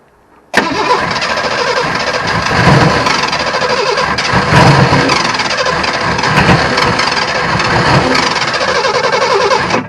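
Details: Ford-based 'Franger' project running from an improvised fuel cell. The starter cranking breaks into ragged bursts of firing; it runs for a second, backfiring, but never settles into an idle.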